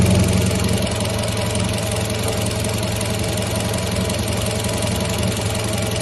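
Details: 2016 Kia 1.4 petrol idling: uneven, stumbling beat from an intermittent cylinder 1 misfire, reproduced by shaking the wiring loom near the engine; cause was a faulty connector pin on the ECU plug, found with an oscilloscope.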